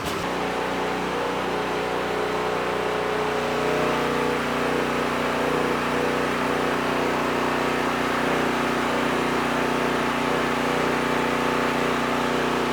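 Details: Predator small engine fitted with an HFS remote start/stop module, warmed up after its carburetor was cleaned to fix starting only on choke: a smooth, even beat at steady speed with no misses or hunting; performance believed improved.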